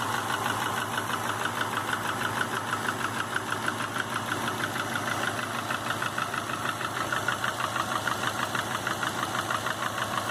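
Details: 2005 Subaru Legacy GT with refurbished block, new crank and bearings, used rods, pistons and heads, warm idle at 22 psi oil pressure: steady sharp knock about three per second; cause unknown.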